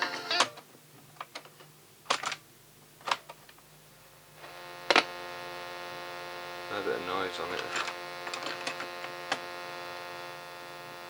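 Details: Pye 3214 cassette recorder playback, after fixing its sound wobble and strange noises; replacing a couple of capacitors might improve the deck further. A few clicks, then a steady low hum with a faint hiss. Some noise remains, cause not pinned down.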